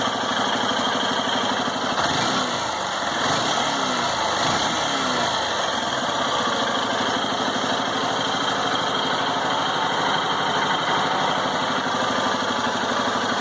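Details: 2018 Honda Titan single-cylinder motorcycle with only 1560 km, engine hot after long use: steady idle with busy mechanical clatter on top, worse once hot; abnormal engine noise, cause unknown.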